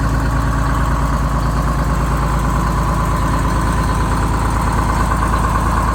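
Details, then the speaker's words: Rebuilt bus diesel after fuel-system fix, cold start (20°F overnight, about 42°F morning) with no ether or block warmer; settles into a firm, even clatter at idle with steady low rumble, no misses or stumbles. "So it started with no ether, no block warmer, nothing, which is a really, really good sign."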